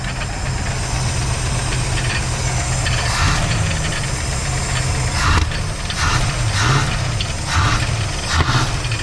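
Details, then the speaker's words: Van engine first running after 15 years of sitting, started on starting fluid, rough and smoking: slightly uneven idle with irregular slapping bursts from two loose belts to the unhooked alternator and AC compressor flapping around, not an internal fault. "there's two belts and the two belts go to the alternator and uh uh ac compressor for air conditioning and they're not even hooked up right now so they kind of like flanneling around like crazy in there so yeah that's that sound"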